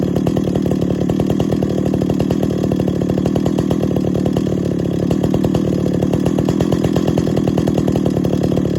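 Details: 50-year-old chainsaw after full rebuild, first start and tune at high revs: fast metallic tinging rattle over the buzz; baffle inside the muffler believed loose.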